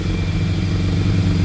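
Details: 1987 Yamaha FZR1000 firing after 16 years idle, refurbished carbs, fresh oil and plugs, gravity-fed tank hung above the carburettors, easy start used: deep steady four-cylinder burble with no knocks or misses, running cleanly.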